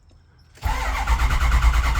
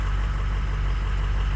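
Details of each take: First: Ford 6.0 Powerstroke diesel truck, crank-no-start; gauges showed it was not making high-pressure oil, and the owner suspects the recently replaced high-pressure oil pump again. Long, even, low cranking churn with no firing: cranks but won't start. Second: Ford 6.0 Powerstroke diesel running after the fuel leak was fixed. Low, steady diesel rumble with an even beat and no misses or knocks; ICP 900 psi, IPR 30%: a smooth normal idle.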